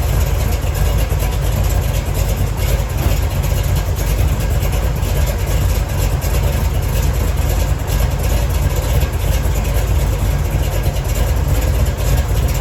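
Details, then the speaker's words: 1970 Chevy Nova big-block Chevy V8 idling while warming up after replacing the failed water outlet O-ring with a paper gasket and RTV to fix a coolant leak; deep even burble, no ticks, knocks or stumbles, cooling system dry. "all right looks like we're doing pretty good I don't see any leaks it's all dry back there nothing's pissing"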